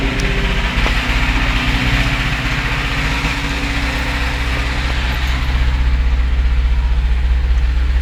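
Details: UZAM 412 engine: a steady, fairly regular knock taps through the rough idle at roughly four per second; a clear internal engine knock, source not pinned down.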